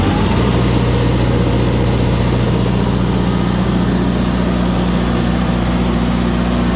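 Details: Kohler 100 generator after an overcrank/ignition failure fix (swapped sensor wires corrected, roughly 4-year-old battery replaced): starts and runs with an even, steady low drone, no misses or knocks.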